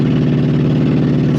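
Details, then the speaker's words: Ex-police 2000 Ford Crown Victoria V8, stored for years, catalytic converters and O2 sensors removed: smooth cruising but faint uneven stumble while climbing a grade under load, a misfire; owner notes losing spark under hard acceleration. "so when you're just running down the road nice and smooth and not really getting into it it's perfectly fine it's like we're getting ready to go up a grade now it starts to miss out"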